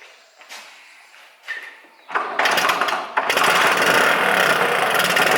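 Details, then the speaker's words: Lambretta LI150 with RT 198 kit, 38 pilot and 105 main jet before rejetting to 41 and 110: catches after kicks into a raspy thin idle; owner thinks weak at top end, mid-range okay. "i think it's running a little bit weak up the top end mid-range is okay"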